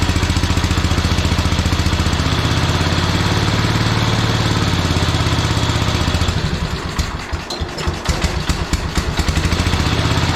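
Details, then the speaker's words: Early-1970s International Cub Cadet 129 garden tractor, stuck engine freed after sitting many years: low thumping single-cylinder beat, steady then a few uneven beats; runs fairly well but shut off quickly the first time. "started it actually sounded really good it shut off pretty quickly so i'm not sure what's going on there"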